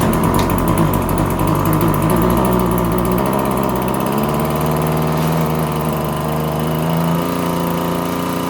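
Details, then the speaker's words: RedMax TRZ230S two-stroke string trimmer held at wide open throttle: surges and stumbles unevenly instead of steady, running rough; air filter found pinched and soaked, fuel leaking, carb diaphragm suspected hardened. "Alright, so that was me holding the throttle all the way open in case it wasn't obvious. It's running like crap, eh?"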